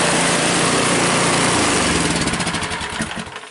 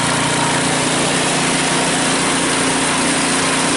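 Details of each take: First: Cub Cadet 5 24 snowblower after weak-drive repair, drive much stronger: even, steady single-cylinder running with a light rattle on top from loose rubber pellets, then a smooth wind-down at shutoff; healthy. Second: Cub Cadet 5 24 snowblower, running after a weak-drive repair: steady small-engine drone with loose rattling mixed through, from rubber pellets rolling around inside the housing; drive now much stronger.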